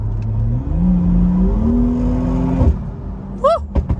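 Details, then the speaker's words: BMW B58 turbo engine that had been in limp mode with wastegate codes 123432 and 123437, now after an electric wastegate actuator relearn and adjustment: a strong, clean pull rising through the gears with no flutter or surge. Acceleration is normal. "that sounds awesome all right guys be safe stay sliding see you in the next one"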